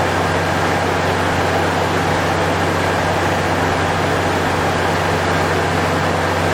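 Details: Toyota 3.4 V6 first start after timing belt and water pump replacement, battery reconnected and oil checked: steady even low hum and constant drone, no knocks, ticks or misses; smooth healthy idle.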